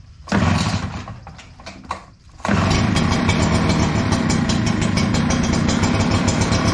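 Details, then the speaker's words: Echo PB-9010T backpack blower started cold on choke: pops and stumbles, then catches into an uneven, lumpy run, a lean cold stumble blamed on the carburetor. It runs fine fully warm but is slow to warm up, and the air filter is good. "So if you heard it bumbling, I turned the choke back on, gave it more fuel, and it was starting to run clean."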